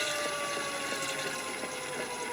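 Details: Gen1 Nissan Leaf motor on a Leaf inverter, coupled to the transmission as a load. Quiet, clean electric whine with steady high pitches and no grinding or rattle. The motor runs correctly and rpm now comes back down.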